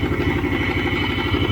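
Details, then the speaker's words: 1979 Trans Am 403 V8 running for the first time in over five years: rough idle, dropping a cylinder, with fast metallic clatter. The owner suspects lifters and rod knock; oil pressure reads 60. The cause is unconfirmed. "well it's running but it's running like crap uh I think it's uh bunch of clattering from lifters and I think the rod too"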